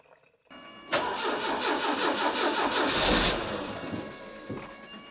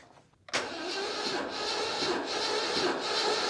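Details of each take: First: 1989 Citroën CX 2500 GTi, off the road since around 2007, warmed up after coolant flush and oil change: runs at a steady, quiet, smooth idle with no knocks or misses; sounds healthy. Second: 1989 Citroën CX 2500 GTI, 400,000 km, compression test with ignition coil disconnected and throttle floored: slow, labored, uneven cranking with no firing; starter struggling, weak battery.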